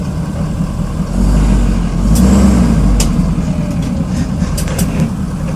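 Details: 2011 Ford F250 6.7L diesel: sharp, irregular metallic pings from the underside over a deep rumble when accelerating in drive or reverse, never in neutral and only sporadically. A driveshaft U-joint is possibly suspected; the exhaust is doubted.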